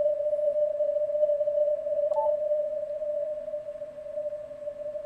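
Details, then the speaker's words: Ham radio receiver on CW with a 300 Hz roofing filter, digital narrowing and digital noise reduction (algorithm 15): steady pure ringing tone over faint hiss. It sounds like filter ripple but is interference from a switching power supply. "i'm gonna just tell you this ringing you're hearing right now is not filter ripple"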